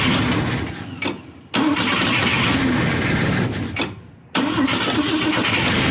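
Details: Volvo 164 B30 engine, first start attempt since 1994 after a cleaning and oil change; oil pressure present, fuel leak noted, cylinder two plug found loose. Two long cranking spells without catching.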